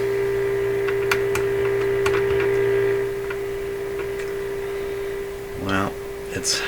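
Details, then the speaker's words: Northern Electric Baby Champ AM radio during alignment, 400 Hz test signal: a steady tone with a low hum and faint buzz underneath, possibly 60/120-cycle; interference suspected to come from the signal generator ground connection, not confirmed. "oh this one didn't make it so that's a 400 HZ signal and now you can really hear the uh the the interference"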